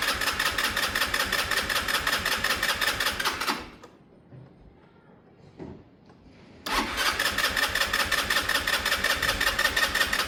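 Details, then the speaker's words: Sinnis Harrier motorcycle with spare practice carb, cranked on booster pack: fires and runs raggedly, dies about three seconds, then catches again; false start while fuel is still being drawn into the carb. "It's still going to seem like it doesn't start well, but at the moment we're really just sucking fuel through into the carb."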